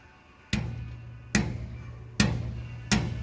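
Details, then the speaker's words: Dodge Ram Hemi with long-tube headers, whose nitrous-pass logs showed knock and pulled timing on the hit. Striking the passenger-side long tube gives four dull, clean thuds that die away quickly with no buzzing chatter; solid header, no rattle. "it sounds pretty solid."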